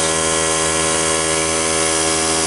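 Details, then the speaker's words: Cheap portable tire-fill air compressor after a melt-down, with the melted power switch bypassed and no bad sparks: a steady buzzing hum with a fine even whine and no knocks. It is making air and sounds healthy. "is a noisy thing. It does seem to be making air."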